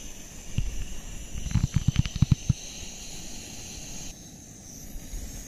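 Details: MSR WhisperLite Internationale 600 liquid-fuel stove on a back deck in late November, relit after about five minutes off and repressurized, boiling a pot of water: steady low roar, faint hiss, soft pot knocks; burning cleanly at full flame.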